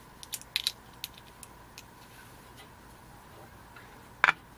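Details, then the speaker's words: Zenith Model 6G601 vacuum tube radio speaker tested with a 9V battery across its terminals: sharp, crisp clicks at each touch, so the speaker is good. "Yep. The speaker's good. All right, that's good. That's good. The speaker is good."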